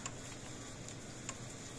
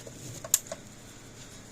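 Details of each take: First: Old PEL 609 electric fencer after board repair and new capacitors, just plugged in: quiet crisp single ticks roughly once a second over faint hiss, no crackle; quieter than before, transformer likely was arcing inside; tester reads about 7,000 V. Normal pulse. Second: PEL 609 electric fence charger tested across full-power and ground terminals: a few sharp, sparse ticks, clicking but weak output, measuring only 2.9 kV where 6 kV plus is expected.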